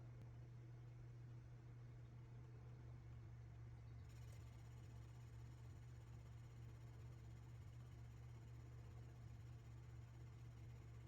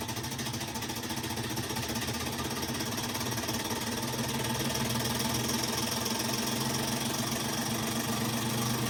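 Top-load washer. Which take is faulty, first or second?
second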